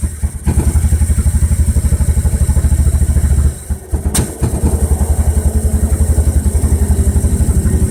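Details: Volvo B21FT engine on Microsquirt: low, lumpy idle pulsing unevenly near four beats a second, nearly dying midway before recovering; rough idle, cause unknown.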